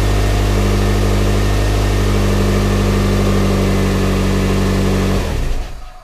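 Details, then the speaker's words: 1997 Toyota Corolla after starter repair and seal replacement: steady, even low idle with no misses or knocks for five seconds, then clean shutdown; normal idle. "but now let's start her up and uh show you that she's working"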